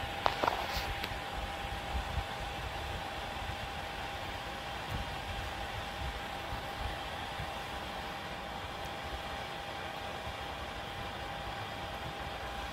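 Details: Ontel Handy Heater Turbo 800 wall-outlet ceramic space heater, a few days old, set to 90, running plugged into a basement wall socket: a constant airy whoosh with a thin steady whine. The fan is noticeably loud, far from the quiet advertised on the box.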